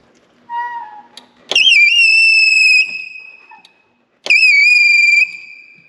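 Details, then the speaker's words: Machine with belt-driven starter motor generator, run in gear: loud high-pitched squeal in two roughly one-second bursts, wavering in pitch, from belt or pulley slippage. The fix is likely tightening the belt (spec half-inch play). "That is belt slippage or puller slippage."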